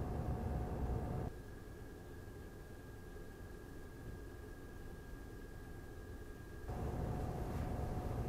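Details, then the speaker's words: Razer Core X Thunderbolt 3 eGPU enclosure with an RX 5700 XT at idle, mic at the same distance: the loud whoosh and hum of the stock fan drops to much quieter airflow with a faint high tone after the Noctua NF-A12x25 upgrade, then returns. "okay so I think the improvement is very noticeable the most evident improvement is at idle condition when they are not using the GPU"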